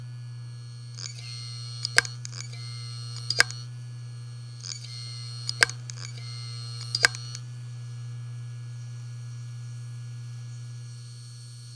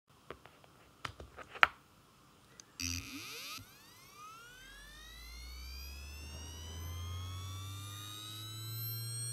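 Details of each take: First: Western Digital Ultrastar DC HC550 18TB SATA 7200 rpm helium drive, dead on first power-up: spin-up hum, clustered sharp repeated clicks, then wind-down; click of death, return for repair. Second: Western Digital Ultrastar DC HC550 18TB helium SATA 7200 rpm drive (good unit, second-hand) spinning up: rising whine, then steady hum with quick seek clicks; normal spin-up and seek.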